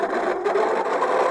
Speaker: uh uh boy not a very pleasant sound that's coming from the electric motor